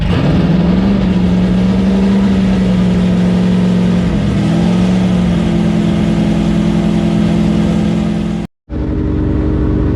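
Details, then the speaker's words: 1965 Impala SS V8 after a broken lifter was replaced, at the track: held at raised revs in the car to break in the cam and new lifter; smooth even drone with no tapping, valvetrain healthy. "we got the engine fired up we're breaking in the cam and the new lifter on the cam and here i am just sitting in the car revving it up"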